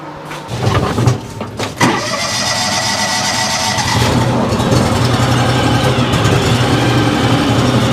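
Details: Simplicity snow blower after repairing auger damage from ice chunks, run before covering the chain and tensioner; small engine catches after a few cranks and runs steady and even with the auger spinning; normal start and run.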